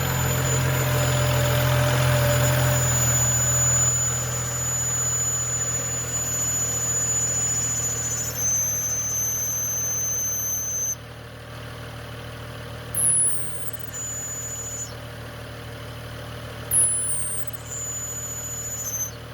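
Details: BMW E92 335i at smooth petrol idle: steady high whistle/screech from a leaking small vacuum hose section; PCV valve cover suspected but fixed by replacing the hose.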